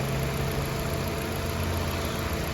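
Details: Maruti Ignis petrol, 2021 model, about 20,000 km, after water pump replacement for abnormal engine-room noise at start and idle, coolant refilled: steady, even idle with smooth low hum, no ticking, scraping or bearing growl; normal idle.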